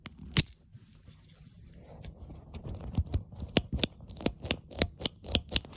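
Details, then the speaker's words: Rebuilt 4-speed pull-chain ceiling fan switch clicking normally after reassembly: crisp, even clicks about every half second as the chain steps through each speed, showing the repair is correct. "And as long as you hear it clicking, that's how you know you repaired it correctly."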